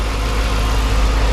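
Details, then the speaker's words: After intake manifold gasket repair, 2007 Dodge Magnum SRT8 6.1 Hemi V8 idles deep, smooth and steady with no lope, misses or ticking; dipstick vacuum leak gone, computer relearning, never idled this well in five days owned. "it's never idled this well either since i've owned it which is only you know five days and uh nice and smooth fantastic"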